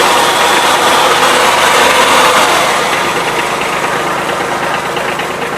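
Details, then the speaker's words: Kubota B1750 HST 4WD tractor, small diesel in neutral: a harsh, gritty grinding starts as the clutch is released, having come on suddenly; it will not go into gear, and the owner suspects the throwout bearing. "thing is making a really crappy noise it sounds like a throwout bearing is out to me"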